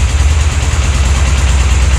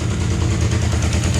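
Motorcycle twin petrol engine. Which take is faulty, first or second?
first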